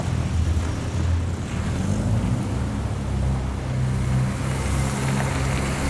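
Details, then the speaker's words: 1966 Triumph Spitfire MK2 after a long-standing misfire was fixed; it had been running on only two cylinders. A steady, even low engine note with no stumbles; now smooth on all four cylinders, though the carbs are still untuned. "But here the most important part is that the misfire is gone and the engine runs much smoother than before. It's much better to use all the four cylinders instead of two, right?"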